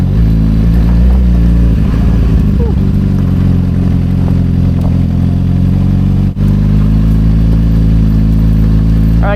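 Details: 2007 Suzuki GSX-R750 with Power Commander 5 and M4 slip-on exhaust, ridden on road: steady, even exhaust note at light throttle with no knocks or misses; engine sounds healthy.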